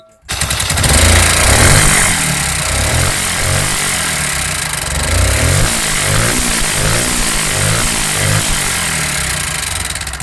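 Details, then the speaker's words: Bajaj Pulsar NS 125 with block, timing chain, head work and clutch done ten days earlier, heavy white smoke: rough, busy idle with a fast, uneven tick riding over the engine; broken exhaust rocker arm with heavy free play. "और साथ ही engine का sound इतना बेकार है कि क्या ही बता।"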